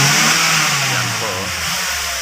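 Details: Ford Escape after fuel pump replacement for low power and hard starting: engine climbs and falls back smoothly with the throttle, even steady pitch, no stumbling or misfire; normal revving.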